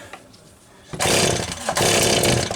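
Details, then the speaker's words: Stihl 026 chainsaw on its test run after crankshaft seal replacement, worn sprocket still fitted: two quick rasping pull-cord bursts, never catching or firing; cranks but will not start, owner wonders if it flooded. "Yeah, something's not right. That should have fired already. Yep, that's not right."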